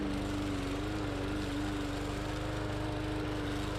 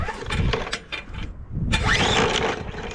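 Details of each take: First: Bolens push mower, Briggs & Stratton 125cc OHV engine, running after no-start repair, cutting soaking-wet heavy grass: steady even drone holding speed, no misses or surging; some tapping heard, valve clearance unchecked; normal running under load. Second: Bolens push mower with Briggs & Stratton 125 cc OHV engine, ran last year, fresh gas, primed: repeated pull-cord rasps turning the engine over without catching; no spark found; no-start.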